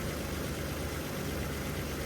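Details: 1981 Chevy C10 square body V8 after new spark plugs, running on about two gallons of fuel: a steady, even low rumble with no misses, pops or ticks. Plug change improved it; the wires seem fine.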